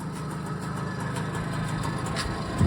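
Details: BSA Ariel 3 (K2) two-stroke moped, suspected of fuel starvation despite a cleaned carb, new fuel line and cleaned, lined tank. Ticking over to warm up, smoking: an even, steady putter with no misses, knocks or hunting; a clean idle.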